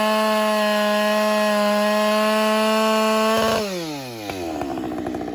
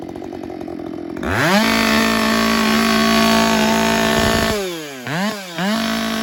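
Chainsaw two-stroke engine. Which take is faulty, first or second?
first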